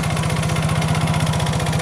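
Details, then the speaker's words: Yamaha Mio J injection scooter that had lost compression from a damaged valve runs rough after restarting with oil added: small choppy, uneven thumps at idle; compression only partly back; rough running from leaking valve. "tetapi suara mesinnya kasar ini guys."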